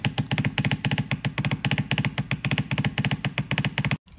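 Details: Shark steam mop S3601 pump motor running with water, steam still produced; rapid rattling pulses about four a second with heavy low thumps, then silence; owner suspects the motor, pushing excess water, with a very dirty internal filter.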